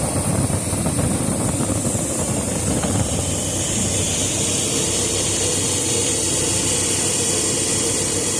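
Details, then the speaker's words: 1994 Chevrolet V8 idling with air cleaner removed: loud intake hiss and uneven beat; intermittent misfire from spark plug wires lying against exhaust and arcing; fix is replacing plug wires. "As you can see, we have spark plug wires laying against exhaust here and there. And we have sparks."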